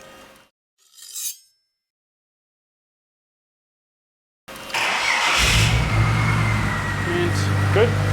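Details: Ford BA Falcon after drift-day damage with a suspected blown inlet manifold gasket, first start after repairs and clearing codes: the engine catches and settles into a steady, slightly soft idle with no misfire; the owner still feels it's not 100%.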